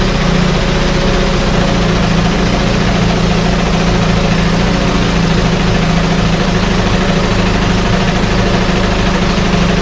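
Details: 1968 Evinrude Fastwin outboard in test tank, out of gear, no load, untouched, Sea Foam in fuel, no cold-start cough: loud even two-stroke burble, steady low hum, no misses or stumbles; normal idle.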